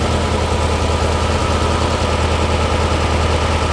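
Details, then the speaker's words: Porsche 356 Speedster VW-kit air-cooled engine idling after remote oil filter hose replacement for over-pressurization, oil cooler warming so oil circulating, pressure dropping toward 40–45: even steady idle with smooth low beat, no knocks or rattles; healthy. "cooler is getting warm so it is circulating obviously that's what you want sounds good yeah we're down to"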